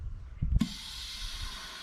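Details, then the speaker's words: 2012 Nissan Versa/Latio, N17 3-cylinder, engine off; after handling thumps, a sudden steady hiss of air rushing in from the brake booster. The booster check valve fails to hold vacuum, which is suspected of contributing to the rough idle. "You're not supposed to get air escaping there, because what this have is a check valve behind on the booster, right? And that check valve is supposed to keep the vacuum in the brakes, right, to assist the brakes."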